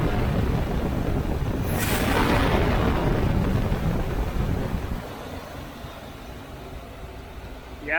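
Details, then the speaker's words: Chevy 350 V8 in a C3 Corvette after fan clutch replacement: revs up and on throttle release drops straight back to a steady idle without hanging, with some wind noise; normal return to idle, confirming the old clutch was bad. "I don't know if you can hear it, but it's definitely, as soon as I let go of the throttle, it idles back down again. It doesn't do that kind of rev up and sit there and then go back down."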